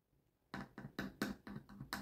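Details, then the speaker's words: Trust subwoofer with switching power supply, TDA2030/TDA2050 sound circuits, power on: sharp buzz bursts from the speaker each time the left-channel input is touched by finger, about six in two seconds; channel passes signal, output normal. "Là, pareil. Vous entendez? Il y a du bruit qui sort de la baffe."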